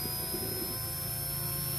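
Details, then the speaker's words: JetCat P120 kerosene-start model turbine on a bench run: the start aborted with an acceleration-too-slow error, which the owner suspects came from too much air in the fuel line. A steady high turbine whine with no surging follows, a normal cooldown spin. "all right in this case i got an error that the acceleration was too slow i'm now it's going to cool down"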